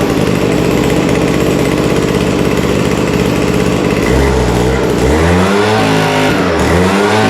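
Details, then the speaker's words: Vintage WeedEater leaf blower, two-stroke, Walbro diaphragm carburetor with no high-speed mixture adjustment, after reassembly: shrill buzz at full throttle, revs sag and hunt instead of climbing; running lean on the top end, won't take throttle. "It actually sounds like it's running okay. It's a little bit lean, I can tell on the top end. It doesn't want to take the throttle."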